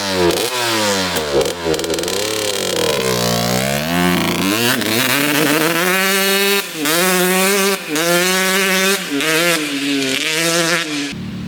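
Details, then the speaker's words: 2003 Suzuki RM125 two-stroke after changing main jet from 145 to 155 to cure a bog: crisp revs climb and drop cleanly through several blips, no hesitation or pinging on deceleration; normal revving. "all right so going from the 145 Main to the 155 now it sounds really really good so there's no pinging on deceleration"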